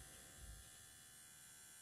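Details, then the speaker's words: Videojet Dataflex Plus 6420 107mm printer after calibration with air applied. Faint, steady electrical hum with a thin buzz from the air solenoid, still audible after the air is removed. A solenoid fault is suspected and the solenoid is to be replaced. "I did apply air that I can hear a humming coming from the solenoid so I suspect there's an issue there"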